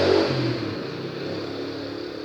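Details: Small CPU cooler fan on an overheating Acer H61 desktop, bench-tested with wires put on a 5 V supply: a soft whir with a low hum that settles and eases off as it spins on the low voltage; it seems to run normally.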